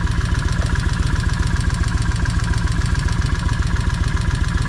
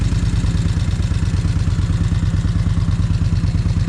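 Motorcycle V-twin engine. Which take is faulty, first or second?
second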